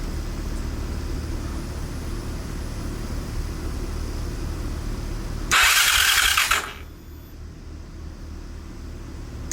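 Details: 2023 Honda CRF450R that wouldn't start and sounded bad, after service with oil and coolant change, air filter clean and fresh fuel; starts and holds steady even idle, then sharp rev burst; healthy.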